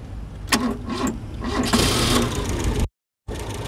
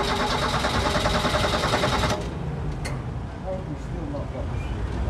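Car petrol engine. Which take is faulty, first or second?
second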